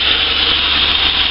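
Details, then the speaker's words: Engine just started after a throttle body carbon clean, possibly disturbing the idle speed control valve; steady even idle sitting high, no misses or knocks, normal cold high idle expected to settle. "it is idling high but it'll calm down there we go it's because the throttle body is clean"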